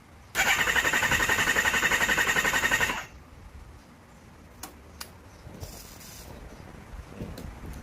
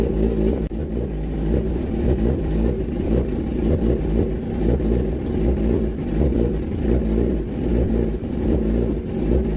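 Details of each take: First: Kawasaki Ninja ZX-10R, hard-starting and now no-start: fast, very even starter whir under three seconds with no firing. Compression test shows cylinder 3 has none (others about 188–192); fuel pressure normal, plugs show no combustion. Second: Kawasaki ZX10R four-cylinder after cylinder 3 valve repair (compression 172) and cleaning of all 8 injectors, coolant not yet added: full even exhaust note with throttle blips, no misfire; starts and runs normally.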